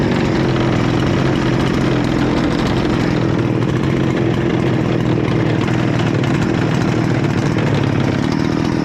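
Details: Husqvarna 288 XP chainsaw, rebuilt with new cylinder and piston on a swapped crankcase, high idle screw adjusted, running very lean: hard steady buzzing scream held high with no four-stroking, risking a scored cylinder.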